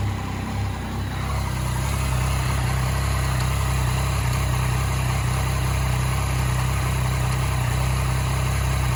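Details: 2014 Yamaha MT-09 noticed on a ride: steady low idle after a blip, with a faint regular light ticking from the engine. Cause unclear; engine clicking at idle.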